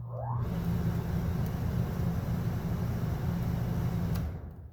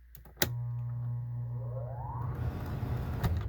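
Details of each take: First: Coleman Mach RV rooftop air conditioner, fan-only mode, after replacing the hard-starting blower motor with a Fasco D1092 1/3 hp 1675 rpm motor: quick rising whir into smooth, even hum; blower runs healthy. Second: Coleman Mach RV rooftop AC blower motor, 18+ years old, capacitor tested good: click then steady low straining hum, pitch climbing slowly over a second or two; slow-starting blower motor, likely bad bearing, replaced with Fasco D1092.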